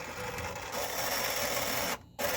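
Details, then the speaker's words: Demolition Man pinball elevator mechanism, previously sluggish, after a connector found inside the housing was fed out. The motor whirs evenly, pauses, then resumes without labouring as the elevator goes up and down. "good news is that the elevator is going up and down and seemingly without struggling so that's a good thing"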